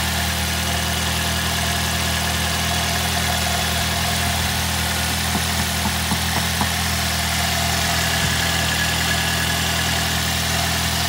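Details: 2006 Ford Fiesta ST at idle after fixing the manifold heat shield and fitting a vented mini breather filter; steady even idle hum, smooth low drone, no rattles, ticks or misses.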